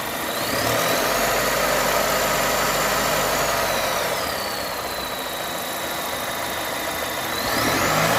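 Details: 2021 Volvo S90 B4 mild hybrid at idle: a thin high whistle drifts in pitch over a smooth idle. Owner ruled out the turbo; PCV valve, oil separator, alternator, pulleys, belts, seals, balance shaft and timing belt replaced, still present.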